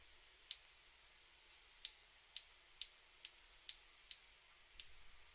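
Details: Shimano BL-M9020 hydraulic brake lever: sharp irregular clicks in a quiet room as the Servo Wave piston jerks on lever release, a common problem; the right lever works flawlessly.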